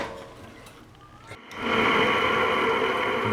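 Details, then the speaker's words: Free, non-working LG 5,000 BTU window AC unit, cover removed: a steady dry whirring rasp with a faint high whine once it starts; traced to a dry, worn fan motor bearing. "yeah it's definitely that fan you hear that it's that Baron"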